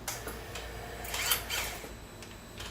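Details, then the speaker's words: Motorcycle at startup: short, faint whine and clicking as the exhaust valve servo closes the valve, normal operation with the servo connected, before fitting a servo eliminator. "So that little whine is that servo closing that valve."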